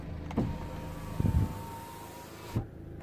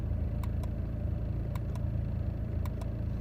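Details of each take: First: 2009 BMW 123d E87 2.0 diesel driver's window after cleaning the window motor, with no parts replaced: smooth continuous motor hum for about two seconds with clunks at start and stop; normal power window operation. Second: 2009 BMW 123d E87, engine idling, driver's window switch pressed: sharp paired clicks about once a second from the door with no motor whirr; window won't open or close.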